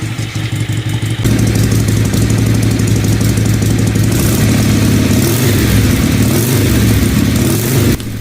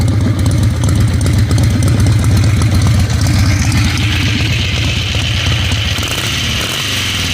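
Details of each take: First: Harley-Davidson Ironhead Sportster on test ride, carburetor first blamed: revs stumble with irregular spits and pops back through the carburetor, needs clutch slipping to move; backfire caused by broken timing cup, not carburetor. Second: Ironhead Harley Sportster V-twin after fixing carb backfiring found not to be a carburetor fault, timing checked with timing light, after test ride: loose lopey steady idle, no pops or backfires; runs great.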